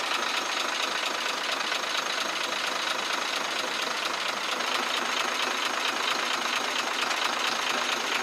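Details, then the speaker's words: Truck six-cylinder 24-valve diesel at idle, pipe opened at the engine to check: sharp, fairly regular tick about two per second plus a chuck-chuck sound; mechanic suspects tappets or injectors; unconfirmed. "यहां से आवाज वाजे चुक चुक की सुनाई दे रही है इस आवाज को चेक करने के लिए हमने यह पैप खोल रखा है"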